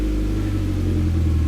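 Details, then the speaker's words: Mitsubishi Evo X after new timing chain and tensioner guide install, engine warmed up: steady even low idle with no ticking, rattling or misses; runs smoothly and sounds healthy. "all right so I let the engine warm up for a little bit everything sounds really good freaking I'm super happy about it"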